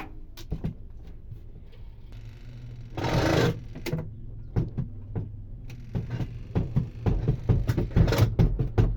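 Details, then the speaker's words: Twin-tub washing machine whose spinner won't spin dry: irregular clunks about two a second over low hum as spin basket wobbles, unstable; coupling between basket and motor is loose. "muy bien como ya pudieron escuchar ese ruido este feo que se escucha Y cómo no se queda este estable eh la tina de la lavadora de la secadora no se queda estable Eso es porque aquí en la unión entre la tina y el motor ya está flojo"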